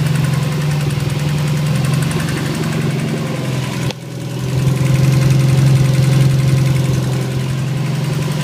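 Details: Subaru STI engine at idle: steady quick light metallic tapping about four beats a second, started one night after antilag was set up; owner doubts rod knock, suspects valve train. Engine tapping noise.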